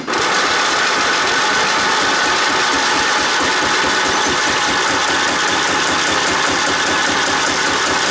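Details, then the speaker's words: Toro riding mower with 11 hp Briggs & Stratton single-cylinder, after 4 years sitting: harsh, uneven cranking with rattly knocks as it catches and kicks back; owner suspects flywheel key has jumped, knocking attributed to engine not bolted down tight. "The way it's kicking back. Sounds like the key has jumped on the flywheel."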